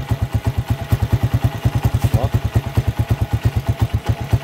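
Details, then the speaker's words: Honda TMX 125 single-cylinder after a tune-up with the nut fitted flipped because of worn threads: even thump about nine beats a second, no rattle or skipping; earlier noise gone, normal idle. "Hala! Wala nang ingay guys. Alright guys, ulitin natin. Baka na chamba-chamba lang."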